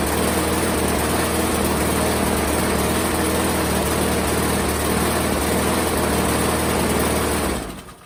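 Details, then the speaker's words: Craftsman 625 series mower, Briggs and Stratton engine, after replacing a broken plastic intake; steady fast chug, slightly uneven and lumpy; owner suspects timing or a bad seal. "Sounds like the timing might be off. Either that or it's got a bad seal in there."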